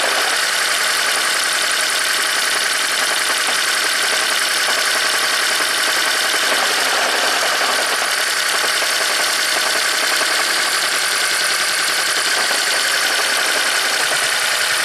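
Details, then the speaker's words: 2010 Toyota Prius after owner's DIY head gasket replacement, severe jackhammer-like misfire (ECM shows P0304): uneven lumpy idle with loping miss after swapping in a spare plug; cylinders 1 and 4 fine, number 3 still dead. "So 1 and 4 are fine. We're dealing with number 3 is still broken."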